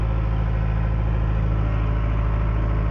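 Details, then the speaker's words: Caterpillar 943 diesel, reportedly late 1980s, just after start: smooth, even low drone at steady idle with no knocks, misses or rattles; sounds the same as every day since purchase. "It honestly sounded no different today than it did any other day yesterday or the day I got it."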